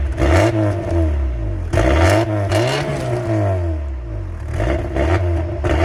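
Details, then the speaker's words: Mk3 Volkswagen Golf with resonator delete exhaust, throttle blips: deep raspy note swelling and falling with revs, no knocks or misses; normal revving. "What I'm going to do is actually start it up so you can hear what it sounds like with the res delete, because it's got an interesting exhaust note to it."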